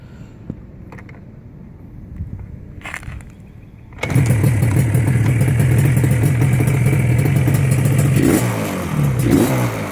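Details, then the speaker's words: Restored big-bore Yamaha RD350LC two-stroke with expansion chambers after re-jetting: a few quiet seconds, then it fires and settles into a crisp, even idle with a clean rev; jetting near perfect, runs normally. "as you can see it sounds pretty good checking is just about perfect now"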